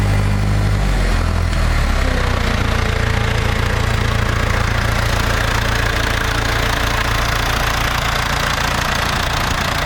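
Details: International Harvester TD-7 Series C bulldozer diesel after rebuilding its Bosch VA4 injector pump, new battery and starter fluid: heavy, low, even chugging at roughly three or four beats a second; it fires and keeps running.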